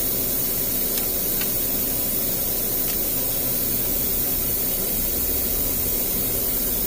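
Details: GM vehicle, P0128 thermostat housing and sensor replacement, Mac Tools vacuum tool on the cooling system: steady even hiss of air pulled in, no gurgling or pauses; tool sucking properly, only a little coolant lost.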